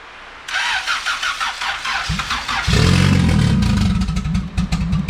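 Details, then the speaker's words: Turbo D16 Honda EF hatch, GTX3576R turbo, first start: long uneven cranking with throttle held open, then rough catch and lumpy idle. MAP read zero and coolant-temp correction dumped excess fuel. Hard start from over-rich fueling. "it's registering zero map pressure when we give it throttle because we have to give it throttle so this will help with it starting at that vacuum level because it was dumping mad fuel so this should start a lot easier now"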